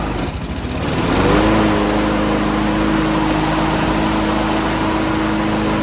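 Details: 2011 Toro Personal Pace 20333 mower with blade clutch, B&S 190cc, after carb clean and rebuild, governor adjustment and new spark plug, blade engaged: catches and settles into a steady, even, clean drone under load; running normally.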